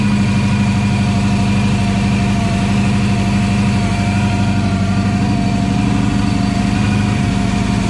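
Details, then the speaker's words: Supercharged Coyote-swapped Foxbody Mustang on E85 with 3-inch exhaust, at first start; loud heavy V8 idle with a slightly lumpy, uneven beat under the exhaust drone, misfiring a little while taking over. Cause unconfirmed. "misfiring a little bit just taking it over yeah yeah"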